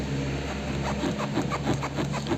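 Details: Renault Fluence/Megane door pressed by hand gives short rubbery creaks, about three a second, from trim rubbing on the door rubber seal; fixable without any parts.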